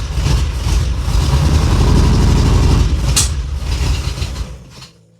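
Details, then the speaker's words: Ferrari 308 V8, cold-start no-start and cutting out at speed: after the fuel feed was loosened it catches but runs lumpy and uneven with a stumbling low beat; a fuel feed line problem is suspected, not confirmed. "well obviously that's not running right but it caught which is more than it has been doing so there must have been something going on with that fuel"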